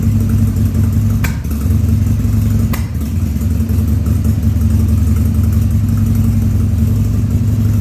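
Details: 2000 Harley-Davidson 1200 Sportster V-twin on its first start after a carb rebuild and leak repairs, air cleaner off: a loping idle with a couple of sharp coughs about a second apart, from a slightly lean mixture.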